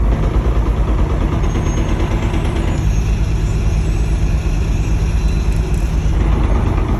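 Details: BMW S54 engine at idle, rod bearings checked OK: deep, uneven knocking about three a second under a heavy low rumble from the bellhousing/transmission; owner suspects the DSSR hitting the guibo, transmission to be dropped for inspection.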